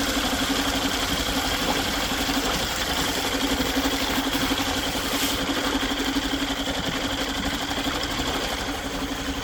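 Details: Yamaha 2.5 hp four-stroke outboard, just after carburetor installation and a fresh oil change, fires up and settles into a steady, even idle of about four beats a second with no knocks or misses; normal idle.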